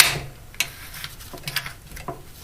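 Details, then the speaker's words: 2006 Ford Focus ZX3 manual window regulator, repaired and reassembled, wound by hand: sharp, irregular clicking a few times a second. A cable crossed inside the spool is suspected. "i think i did something wrong here which is nice because you hear that clicking"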